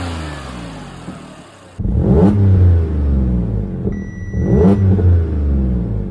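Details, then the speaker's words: Audi B8 S4 supercharged engine, just over 300,000 miles, warmed up, stock exhaust: two strong blips from deep idle, smooth rise and fall with clean supercharger whir; sounds healthy. "Sounds pretty good. And the supercharger actually sounds amazing when I had the intake off."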